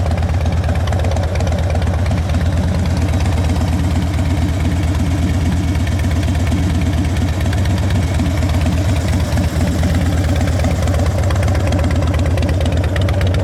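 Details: 2010 Harley-Davidson Dyna Wide Glide V-twin, with a new battery, adjusted clutch and fresh gas: loping, even low thump as it settles into idle, with no knocks or rattles. Normal, smooth idle.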